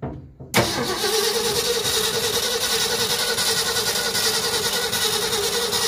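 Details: 1974 Ford F250 Highboy 4x4 that sat possibly 20+ years, fed from a fuel bucket with the fuel bowl full: steady, even starter churn that never catches; cranks but won't start, timing later found a little off.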